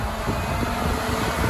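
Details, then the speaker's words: Triumph Stag with Ford Essex 3L V6, newly fitted twin electric cooling fans on a relay with separate live feeds, thermostat turned down to trigger them: steady rushing airflow, even hum, no rattle; front fan pushing, rear fan pulling, both working normally. "So that's definitely this one is definitely blowing. And this one is definitely sucking. Excellent. Oh, fantastic."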